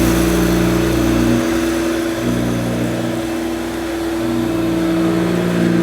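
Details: 1971–74 Hoover Dial-A-Matic 1149 upright vacuum cleaning low-pile carpet: steady loud motor hum with a constant whine and slight load dips; owner judges it sounds as it should, just noisy.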